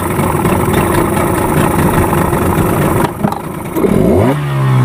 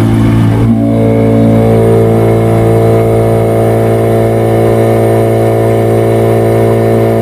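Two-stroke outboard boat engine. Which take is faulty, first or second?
second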